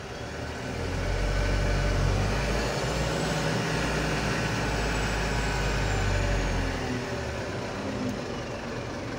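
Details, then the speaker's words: Mitsubishi Canter Euro 4 diesel truck: idle rises to a steady higher rpm without the throttle pedal as the cab idle-adjust knob, a potentiometer/variable resistor, is turned, holds, then eases back down; raised idle from idle-adjust control. "ini seperti potensiometer ya variable resistor seperti itu itik ketika diputar nanti ada tahanan yang lebih beda akhirnya membuat rpm nya menjadi lebih tinggi"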